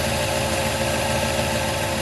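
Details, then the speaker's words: LS1 turbo one-tonner running on E85, cold idle after months dormant, oil pressure good: steady, slightly uneven lumpy beat, no knocks; owner suspects a lazy Walbro 460 fuel pump corroded by E85 giving low fuel pressure and rough idle. "because i have a feeling i have a lazy fuel pump just sitting in that corrosive e85 for too long it's uh not pumping pumping up like it used to"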